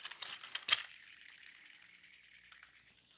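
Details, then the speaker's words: Old cog idler pulley removed from a Subaru during timing belt service and spun by hand near the microphone. Dry, gritty grinding hiss that fades as it slows; the idler bearing is worn and noisy, a common early failure on this system. "the Cog pulley here there is some noise you can hear the grinding it's pretty bad yeah that's a pretty bad and uh and noisy"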